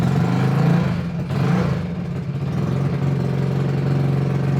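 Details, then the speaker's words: Trailmaster MB200 mini bike, modified Jiang Dong 196cc OHV engine rebuilt after broken crankshaft, new crank, rod and Fire 265 cam, cam break-in after starting on one pull with choke: strong steady single-cylinder drone, brief speed dip, no knocks; sounds good. "Sounds good. I've run it for like 30-ish minutes at a high RPM, varying up and down and all that stuff."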